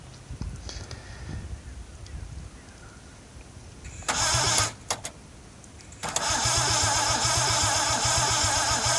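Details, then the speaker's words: Scimitar GTE unrun for about 25 years, three cylinders low on compression: short bursts of cranking and a steady churning crank that never catches; no spark at all. "Unfortunately she wasn't having any of it, she wouldn't even spark once."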